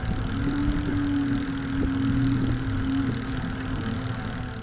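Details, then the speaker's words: E-bike hub motor drawing high amps while crawling up a steep hill: a steady mid-pitched hum over low rumble that fades once over the crest. This is normal motor noise. "the next noise is actually quite similar but it comes from high amps normally this comes out while crawling up a steep hill and putting high demand on the motor"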